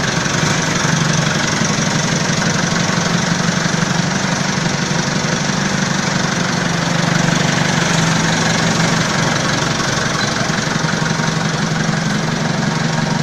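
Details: Balkancar forklift (loader) diesel after repair (engine, clutch, brakes and running gear overhauled), with glow-plug preheat button: settles into steady, even idle at about four beats a second, deep drone, no knock; normal idle.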